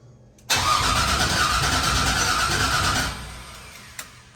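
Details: 1988 Chevrolet C30 with LS V8 swap, new 2.5-inch exhaust with headers, fuel pump running: catches with loud hissing rush, runs unevenly three seconds, fades with a single pop; owner suspects computer wants VATS or O2 sensors, plans computer swap.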